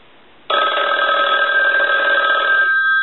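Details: Yellow Western Electric rotary dial 500 desk telephone, final checks, rung: bright rapid metallic ring about two seconds, clean and even; ringer working properly.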